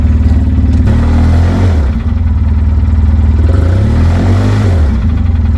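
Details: 2007 Polaris Ranger 700XP, original engine started after topping up oil and fitting a new battery: loud, deep engine note with an uneven heavy knock, about four beats a second. Valve train looked fine, so the engine was replaced with a used one.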